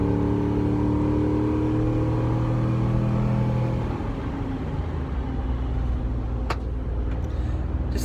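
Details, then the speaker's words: V8 race truck test drive after fixing a header, cutout closed: part-throttle (not full) pull, even drone climbing smoothly then steady cruise, no ticks, knocks or exhaust leak; wideband good; healthy under acceleration. "baby pass there uh that wasn't full throttle but because i'm not trying to rip the freaking bolts off of it already uh but everything looks happy sounds happy sounds good"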